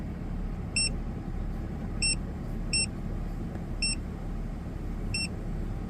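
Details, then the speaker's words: Ford FG2 Falcon after P2110 throttle body code repair, warmed up over 10 minutes: steady low idle at 750 rpm with no misses or knocks, a few electronic chirps over it; throttle at 14.5–15 versus 18 before, no codes. "Engine idle sitting at 750, pretty bang on. And throttle still sitting at like 14.5, 15."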